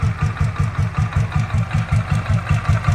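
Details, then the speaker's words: 2007 Royal Enfield Bullet Machismo 500 LB AVL 500cc single, 5-speed, stock, fully serviced, new self starter and battery, started by self start at idle: slow, even thump-thump beats with no knocks or misses; smooth, healthy engine. "absolutely smooth running engine and you can hear the beats I'm sure true Ari lovers know how uh 500 CC lb AVL engine should sound"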